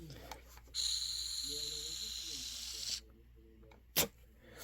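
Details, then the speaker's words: Honeywell water heater gas control valve: pilot gas hisses when the manual override is released, then cuts off abruptly after about 15 seconds, followed by a click; pilot gas flow cuts out, owner suspects a faulty circuit board. "but when I let go and obviously we have a flame here he should have um a pilot you know gas coming out and there is none have a listen so it's literally lasting for like 15 seconds and then it's going"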